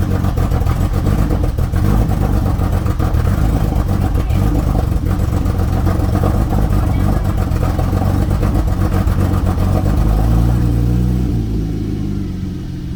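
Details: Porsche 911 991.1 on cold start after filling up with fuel, check engine light on: lumpy, uneven idle with irregular stumbles, easing near the end; idle misfire, cause suspected, not confirmed.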